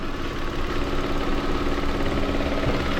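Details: Mitsubishi Mirage G4 misfiring when hot, new coil and plugs, injector fault code: idle shakes with an uneven stumbling beat about three per second; suspected loose connection in the injector wiring harness.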